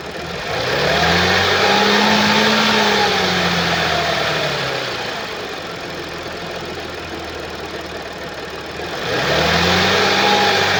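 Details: 2013 Audi S4 B8, 3.0 petrol CGWC, 245 kW, 188,866 km: throttle blips fall back to a rough, busy rattling idle, caused by a skipped timing chain.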